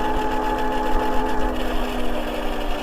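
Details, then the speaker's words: MEGAWHEELS D2 electric dirt bike, owner-assembled, rider near 265 lb limit, mode 1 around 24 mph full throttle: steady motor whine with faint fast even rubbing; owner suspects front brakes or break-in; rubbing noise while riding. "that noise I'm referring to. I don't know if it's something with the front brakes or something, I don't know. There's something rubbing. Maybe something needs to be broken in."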